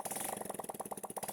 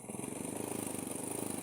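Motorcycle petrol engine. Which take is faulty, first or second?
second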